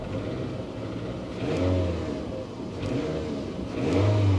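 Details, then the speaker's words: GMC Envoy XUV at auction, revved twice: light metallic rattle on rev peaks, not a deep knock; mild top-end rattle, earlier knock suspected at start. "no that's uh that's not a knock sounds like a little bit of a topend rattle it's not bad [Music] though"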